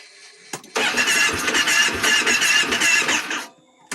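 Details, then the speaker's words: 2010 Kawasaki Teryx 750 hard start: engine catches and sputters unevenly under three seconds, then dies without idling; intake valve clearance too tight, rear cylinder adjusted and improved, front cylinder intake valve still suspected. "Check your intake valves, especially on the back cylinder. For me, has been my issue so far."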